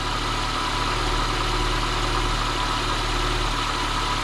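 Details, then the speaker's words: Lada Niva 21214 after tightening the loose alternator belt a couple of millimetres (it squealed sometimes, especially in cold weather): even steady idle, low rumble, no squeal or chirp from the alternator and power-steering belts; normal idle. "Мы натянули ремень генератора буквально на пару миллиметров. В этом случае он не будет визжать ."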